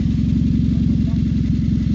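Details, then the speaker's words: Hyundai HB20: deep, loud, rapidly pulsing idle rumble because the exhaust pipe was cut open by thieves to steal the catalytic converter. "e olha só amigos HB20 gente acabou de chegar aqui na oficina relatando um barulho diferente não funcionamento do seu carro"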